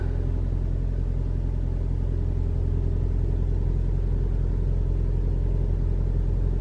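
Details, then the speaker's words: 2021 Toyota RAV4 Prime SE in hybrid mode, about 57°F, AC on: steady even engine rumble with no heat-pump drone or extra tone; normal running. "Yeah, it's cold, but I don't hear anything. All I hear is the engine."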